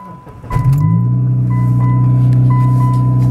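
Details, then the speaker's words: Car started from cold: catches, then settles into a loud, blatting idle with a raspy pulsing note from an exhaust leak. The owner watches whether it will start chattering again as it did before. "That's with the exhaust leak. Let's see if it'll chatter and do what it was doing before."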